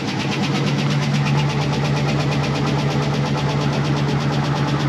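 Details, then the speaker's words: 2004 Chevy Express 4.8 with adequate oil pressure and occasional smoke: fast, light ticking about two per second over a steady cold idle; hydraulic lifters pushed by the camshaft tapping. "y el golpeteo que tiene G peteo se da por los l los botadores que empuja el árbol de leva para las válvulas"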